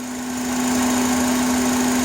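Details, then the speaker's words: 2005 Honda Accord EX 4-cylinder at idle, mic near the intake/throttle body: a steady high whistling hum that stops when a hose piece is removed. IAC and PCV valves already replaced. Owner suspects a vacuum issue, possibly throttle body or intake manifold (unconfirmed). "It's like a whistle. Usually when I remove this piece from the hose, the sound stops. So I believe it has to be something with the vacuum, but I'm not sure."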